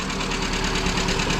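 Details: Lada Priora (VAZ 2170) engine at warm idle with a quick, light steady rattling clatter; owner says it's not the lifters and plans to replace pistons after last year's rebuild; heavy smoke, low oil; piston slap suspected, before teardown.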